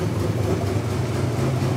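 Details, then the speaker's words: 1986 Buick Grand National, factory turbo, multi-port fuel-injected, first start after 20+ years sitting, in park: a deep, steady idle, slightly rough. Valve train sounds great and oil pressure built immediately. "a little rough it sounds good valve train sounds great it built oil pressure immediately"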